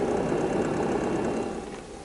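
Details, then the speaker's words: UNI-T UDP3305S four-channel programmable linear power supply, electronic load and meter switched off: soft steady airy fan whoosh fading toward end, no rattle or ticking; normal quiet cooling fan noise. "so let's do that and you can just hear how quiet the fan is compared to everything else and here's the fan noise"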